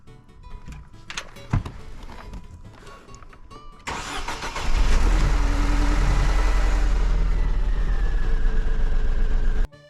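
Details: Mercedes W203 C180 Kompressor, 67k miles, after reassembly and cleaning: the starter churns steadily for about five seconds with a rhythmic labouring beat, but the engine never catches; cranks, no start.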